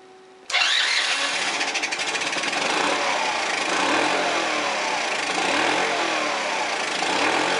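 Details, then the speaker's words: 1982 Honda Passport C70, found neglected with a stuck engine, 140 psi compression, on electric start: it catches and runs ragged and wavering and won't settle to idle. It is running very rich and dumping fuel, and the owner plans to pull and compare the carburetor. "well it fires up does not want to idle running very rich hmm it's usually a lean condition I gotta figure out why this thing's dumping fuel"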